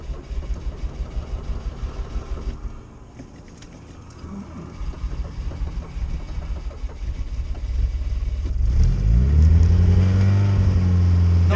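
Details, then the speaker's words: Carbureted Lada 2104 cold start at about -19 °C after sitting three weeks frozen in a snow drift, choke pulled, carb still set for warm weather: slow steady cranking about three turns a second for several seconds, then it catches and revs up; normal cold start. "there it goes [Music] we have exhaust not bad for a carbureted car hit through legion yesterday was minus 34 it was cold definitely cold"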